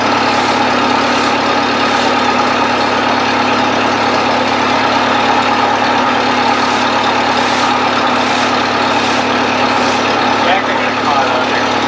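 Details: 1970s Bobcat 610 skid steer settling into an even, steady idle after a choked cold start, no knocks or misses. Normal healthy idle.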